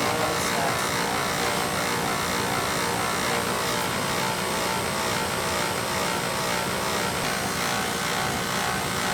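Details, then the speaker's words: Old boiler with circulator installed upside down: steady mechanical roar with thin high whine, "pump whine" from the circulator pump motor lacking oil; owner says it always made that noise; fix is oiling the motor. "this would be a circle is turned around oiled this motor that pump wine is like it's that it's like it's stopping for oil that's what that's about"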